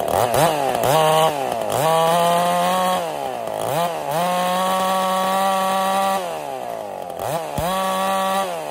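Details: Ported Husqvarna 55 chainsaw: bogs in the cut, never holds full scream, revs sagging and recovering between cuts; lost over 1,000 RPM in about half a tank, new coil didn't fix it; power loss from scored cylinder.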